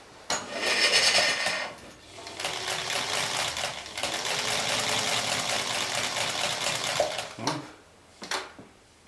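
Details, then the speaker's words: Chaika-2 sewing machine after its cracked nylon half-gear was replaced with a metal one and the gear mesh adjusted: runs with a light, even, quick ticking and no clatter or grinding; gears now mesh quietly. "О, не слышно. Вот сейчас машинку будет не слышно."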